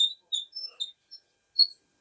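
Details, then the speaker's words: Kenmore dryer idler tension pulley worked by hand, belt off: short sharp uneven high squeaks; dry, worn idler pulley, to be cleaned and lubricated. "This is a squeak that I'm just putting tension on it."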